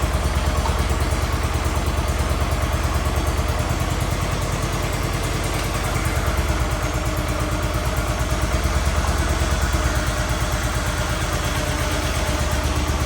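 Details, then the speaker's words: Cub Cadet 1211 with Kohler single, first test run after Cyclops 30mm transmission replacement: steady idle with a low, slightly uneven thump; the mower creeps in neutral and needs adjusting. "A little bit of creep to get out of it. Just to make sure everything's about right."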